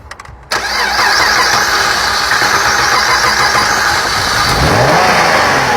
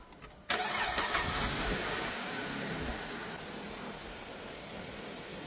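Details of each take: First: 2008 Dodge Avenger after head gasket and timing replacement: cranks, catches, runs loud and uneven with a ragged hunting note, stays running only with the pedal floored; brake cleaner at intake improves it, indicating a vacuum leak. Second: 2008 Dodge Avenger after the customer's head gasket and timing job, with the intake plastic-welded and patched and the EGR blocked off with a gasket and unplugged: the engine cranks, catches at once, flares briefly, then settles into a smooth, steady idle with no stumble or hiss.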